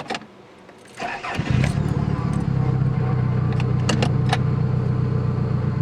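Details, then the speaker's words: 1987 Toyota Camry LE, 4-cylinder automatic, about 200,000 miles, with a known starting problem: cranking in neutral then catching at about 1.5 seconds into a lumpy, uneven idle that never smooths; hard start, rough running. "Sounds like Oscar the Grouch's sloppy jalopy."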